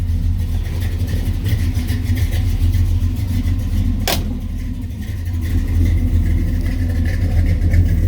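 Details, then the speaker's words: 1967 Chevy Nova SS clone V8 during a used-car inspection: deep, even burble with smooth revs, no misses or knocks; starts right up with good oil pressure, no smoke, quiet motor. "No smoke, white, blue, anything of that nature. All seems pretty good. The motor is nice and quiet."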